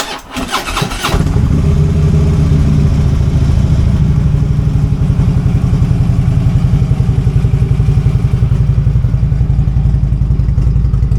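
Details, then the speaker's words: Harley-Davidson V-twin cold start after sitting several rainy days, before fitting new breather: starter cranks briefly, catches into deep lumpy steady idle about four pulses a second; healthy cold start. "I know this is a cold start. Bike's been setting up for several days because it's been raining so much."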